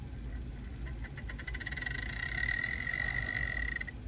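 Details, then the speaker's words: Old custom-painted Southern Railway F-unit model locomotive, not run in years and before track/wheel cleaning: thin high motor whine with uneven, stuttering clicks; runs rough and sounds horrible. "too bad doesn't sound good all right so let's do let's do a little cleaning on it and see if it improves it at all there we go sounds horrible"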